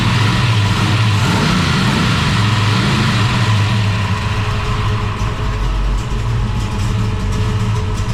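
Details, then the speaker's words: Holden HT Monaro V8 after replacing faulty MSD ignition module, thermo fans on, alternator wire run: fires straight up, revs cleanly with crisp even beat, fans humming; runs healthy, sounds mint. "well I must say I'm very pleased with that that sounds mint me too"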